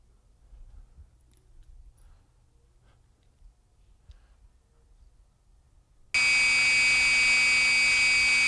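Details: Motor running on an ultrasound demonstration after soft foot was corrected by shimming opposite corners to stop the rock: a steady, even hiss-hum that holds level with the surge gone.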